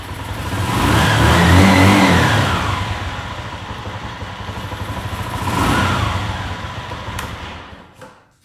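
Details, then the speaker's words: Motorcycle that would not crank in neutral, fixed by checking battery terminals and temporarily bridging a blown fuse with wire: single-cylinder revs up twice smoothly, drops back to idle and shuts off; runs cleanly after repair. "galera fechou tudo novamente e aí vai lá na chave ea moto já voltou a funcionar"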